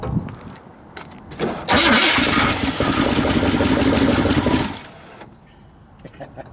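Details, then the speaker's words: 1978 Chevy Silverado 20 pickup, previously seized engine, no fuel supply connected: quick cranking, then catches and roars rough and loud about three seconds on starting fluid before dying. "yeah guys I'm gonna call this a win this thing just fired up and I don't want to keep running it on starter fluid"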